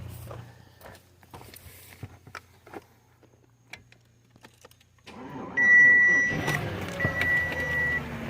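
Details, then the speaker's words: 2007 Audi A8 with no crank/no start, after jumpering across the pyro fuse with jumper cables: faint clicks, then the engine cranks, catches and runs somewhat unevenly under a warning chime. It runs, though other issues are suspected. "I don't know if y'all can hear that. It's running. Not so well. Probably got some other issues, of course. Not a lost motor."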